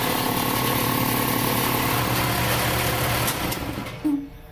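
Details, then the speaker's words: Sanborn Commercial 60 gallon vertical shop air compressor running: steady low motor drone with a faint tinny rattle from the cage until it spins down; otherwise a normal low rumble. "I like how it has a lower end rumble to it. And the cage rattles"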